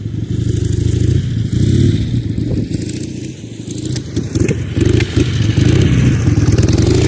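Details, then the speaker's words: Ironhead Sportster under throttle on a field ride gives a ragged, crackly response with sharp pops spitting back through the carburetor, needing heavy clutch slipping; traced to slipping ignition timing, not the carburetor. "and if it isn't obvious it was still spitting and popping back through the carburetor I had to really ride the clutch to get it to go anywhere"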